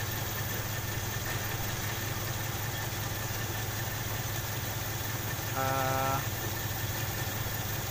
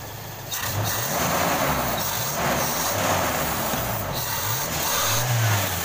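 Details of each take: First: Toyota Kijang 5K/7K engine at idle: lumpy, uneven stumbling beat; pulling the cylinder 1 plug lead barely changes it, so that cylinder is dead (misfire). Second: Toyota Kijang Krista 5K/7K carbureted engine after cleaning carburetor and replacing dead number-one spark plug, previously stumbling and lacking power: revs rise and fall smoothly with throttle blips, even beat, no stumble or misfire; normal idle.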